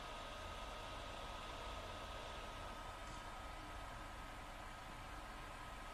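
Constant airy rush with a faint thin whine and no rhythm, the console fan running loud without a clear cause.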